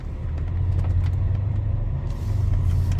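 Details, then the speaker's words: BMW X5 E70 5.0 test drive at slow turn after transfer case fluid change with 1 liter of DTF-1: smooth low rumble, no pulsing or judder; earlier shudder when turning slowly is gone, transfer case normal. "oh yeah see it's gone like right there on that turn it would just be puttering pumping like a like a I don't know like a vibrating uh feeling and I'm not getting it"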